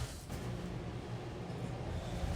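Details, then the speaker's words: Restaurant kitchen exhaust duct fan with 1 hp low-noise motor: constant deep droning hum, noise carried and amplified through the ductwork; larger horsepower motors are louder; loud exhaust fan noise. "저같은 경우에도 요즘 나오고 있는 저소음 모터 에 말여 까지도 1 마력 을 사용하고 있음에도 불구하고 이렇게 소음이 크게 발생하게 됩니다"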